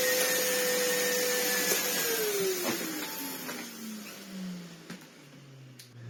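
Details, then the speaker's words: Sebo C2 Total vacuum cleaner, speed on max, with turbo head: clean, even motor whine with strong airflow, no rattle or scraping, then pitch falls smoothly as it winds down; functions fine. "Yeah, bless it. It's functionally fine. It cleans immensely well. Turbo head spins fine."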